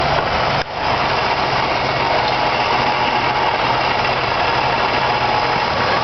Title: weird noise from tranny area